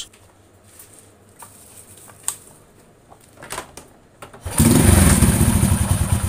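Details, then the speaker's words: Honda Astrea Grand small single after valve clearance adjustment: a few stray taps, then a steady, even idle with no valve tapping. The rough rhythmic noise from loose valve clearance is gone and it runs smooth again. "sudah ya ini suaranya sudah halus kembali"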